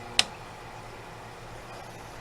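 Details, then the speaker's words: Haier window air conditioner fan speed switch: a single crisp click from the good switch snapping into position, unlike the faulty switch, which shows no resistance either way and fails to change fan speed. "And that switch is bad because there's no resistance either way on it. Unlike this one, you can hear it click."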